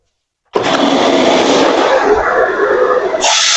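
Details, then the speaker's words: Eureka WhirlWind bagless canister vacuum running with old dirty filter before replacement: motor spins up quickly to a strong, even whir with brief pitch change near the end. Normal running, suction decent; new filter then improves suction. "So the suction was still, decent, and I'm just going to go ahead and put this brand new one in here and see if it's even better."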